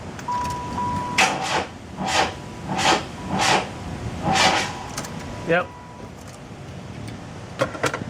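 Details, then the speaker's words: 1995 Oldsmobile Cutlass Supreme convertible bought as a non-runner; the seller's mechanic suspected an electrical problem. The starter cranks in even bursts, about one every 0.7 s, but it never fires. Owner suspects the timing is way off; not confirmed. "you know what it sounds like to me it sounds like the timing's way off that's what it sounds like to me"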